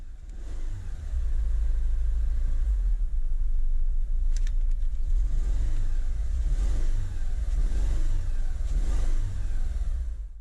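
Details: 2010 Renault Megane 1.6 petrol, 60,000 miles, engine management light on, before repair: low uneven stumbling idle with throttle blips, missing from failed cylinder 4 fuel injector: cylinder misfire.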